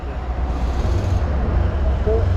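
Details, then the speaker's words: Suzuki Burgman Street 125 scooter just after its second service, 3755 km, started at the service centre: low even idle burble with no buzzing or rattle; sounds smooth, no problem, normal idle. "Metre sound ദാ നല്ല smooth ആയി കേട്ടോ കണ്ടോ ഒരു കുഴപ്പവുമില്ല"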